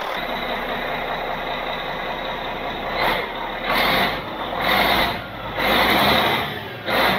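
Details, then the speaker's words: Caterpillar 3406C diesel in Cat 16H grader, abandoned about a decade and drained, started without starting fluid: steady even idle with repeated air hiss from air-powered automatic greaser; engine runs good. "it's okay you got to run an engine it runs good so now that this thing runs"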